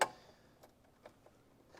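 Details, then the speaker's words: 1981 Suzuki GS650GL after sitting for years, turn signal test: faint, uneven light clicks about every half second, flasher trying but not cycling steadily; owner suspects the flasher relay and plans to replace it; intermittent turn signal clicking. "sounds like that flasher wants to work if I can find it I'll just replace"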